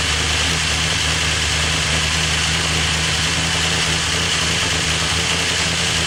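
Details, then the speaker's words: First startup of a freshly rebuilt engine with Crow Cams lifters and CNC-ported heads: fast, busy metallic clatter over the idle as the lifters fail to pump up. Owner suspects lifters weren't soaked enough; cam lobes later found dry. "a little noisy on startup probably the lifters weren't soaked enough so I'm gonna check it out see what's going on make sure I got oil pressure"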